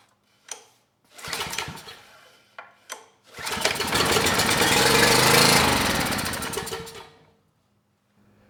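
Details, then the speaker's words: Neglected used Ridgid generator with rusted tank, clogged fuel filter, leaking fuel valve and messy carb, oil full: catches after a few cranks, steady even buzzing run then shutdown; engine sounds good, generator makes power. "the good news is the engine, it sounds good, and the generator is making power."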